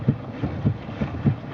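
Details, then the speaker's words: 2001 Chevy Malibu, steering wheel swung back and forth; dull low clunks about three a second, heard also over bumps; driver's side of the steering rack moving roughly 1/4–3/8 inch in its mounts, tie rods fine. "what I didn't realize until later was that had to do with the steering so if you swing the wheel back and forth you can hear the clunk pretty readily"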